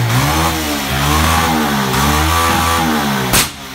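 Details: Bajaj Pulsar 150cc single-cylinder motorcycle revving: uneven stumbling beats and a sharp crack from the exhaust near the end; misfire with exhaust popping.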